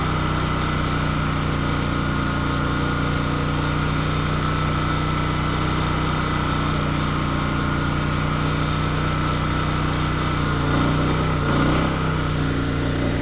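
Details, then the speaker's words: RV generator starting the air conditioner alone, drawing 45 amps: a steady, even drone that briefly bogs as the AC starting load kicks in, then settles right back and keeps running normally. "So you can hear the bump up. That's the starting one from the AC. Still running, no problem. We've got 45 amps going into it."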